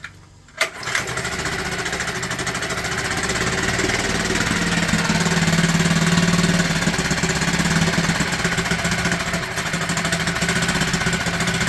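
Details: Mercury/Tohatsu 4 hp four-stroke outboard after a carb clean with jets blown through and fresh petrol, having previously not started: catches after a few pulls and settles to a steady, slightly uneven fast-idle putter with some choke on.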